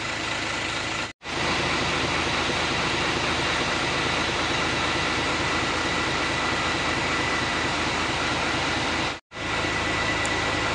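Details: Hino Lohan 500 FM 260 Ti truck J08E diesel just reassembled after overhaul: smooth constant idle, even firing, no knocks or rattles, described as very smooth; normal idle.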